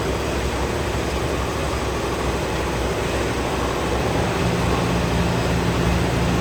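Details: 1967 Corvette 502 big-block crate V8, freshly rebuilt by an engine builder for oil burning and an internal noise, running on the dyno: deep, even rumble with a steady firing beat, no knocking or tapping; healthy.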